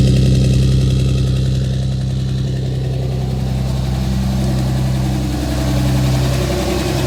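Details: 2007 Dodge Ram 5.9 Cummins diesel idling rough with a lumpy beat of three to four pulses a second that rises and sags; began a month ago, intermittent fuel rail pressure, MAP sensor and overboost codes; owner asks about excessive blow-by; cause unclear.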